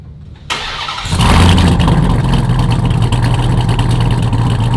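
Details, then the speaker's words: Ram TRX with a Hellephant 426 supercharged crate HEMI swapped in, first startup on a base calibration file, on the lift: the starter whirs, then the V8 catches and settles into a deep, even roar with no knocks; runs healthy. "Runs pretty good on the base file. Obviously, we're gonna continue to make improvements as we go. I don't hear any bad noises."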